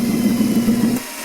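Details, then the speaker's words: 1940 Delta T5074 repulsion-induction motor, bench test before dismantling: wavering, uneven hum about a second before cutting out, running roughly; commutator to be cleaned. "this no that's not good at all"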